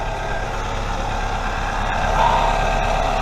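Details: 3S-FE 1996-2000 Toyota RAV4 at idle after an exhaust leak repair (welded, painted and refitted): steady low even hum with no ticking or puffing.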